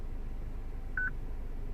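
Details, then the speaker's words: 2006 Citroen C3 petrol with a used replacement radio: one short high-pitched beep over quiet cabin hum after the car's VIN was entered but before pressing configuration. It is the security lock warning of a VIN mismatch. "And now we press configuration, and I think my beep should go away straight away, as you can probably still hear the beep."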